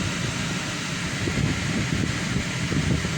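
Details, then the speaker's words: Audi A4 after repair of misfire on cylinders 2 and 3 caused by faulty ignition coils, coils repaired and refitted: steady even low idle, no stumble, soft fan hiss; no DTCs, no warnings, earlier engine vibration gone. "Check कर सकते हैं, बिल्कुल okay हो चुकी है।"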